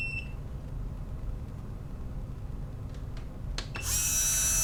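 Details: MN99s RC car fitted with a metal gearbox and geared motor, bench run: a high, steady electric whine holds even; the motor and gearbox spin freely and sound healthy.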